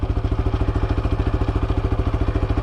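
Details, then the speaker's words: SBM250s motorcycle idling: fast, even light clatter over a steady thumping idle from the engine; normal lubrication noise that stops once oil circulates fully, maker says it is normal. "Só que esse barulho é um barulho normal, velho, de lubrificação. Então ele fica só até o óleo girar todo e para. Então é um barulho comum."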